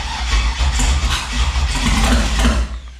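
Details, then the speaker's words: Turbo 5.3 LS-swapped Mustang: labored, uneven cranking at about three to four turns a second, fading out without catching; starter dragging on a small, weak battery mounted far away, later confirmed as the cause of the starting issues. "it seems to me like it's having a hard time turning over our starters well that's what they're doing so either it's the starter or it's the battery the battery is small and far away"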